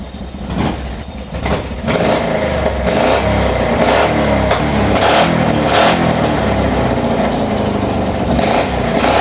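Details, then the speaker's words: Free mini NASCAR go-kart small engine after draining water from gas and carb: rough at first, then revs hard with a loud, raspy, open bark; holed exhaust leaking, carb getting dirty again. "Uh there's a bunch more issues going on with it. It's got hole in the exhaust that y'all saw."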